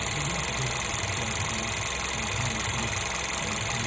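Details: 1.2 TSI engine at idle: a steady, fast light chatter over an even idle with no speed change. Timing chain noise is suspected but unconfirmed.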